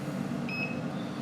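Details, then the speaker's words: Car with maintainer unplugged while testing a Power Max PM3-100 12 V 100 A inverter as programming power supply: single high beep from OBD2 breakout box over blower rush, warning vehicle voltage dropping fast. "you hear it can hear the obd2 breakout box beeping because the voltage Y blows so fast"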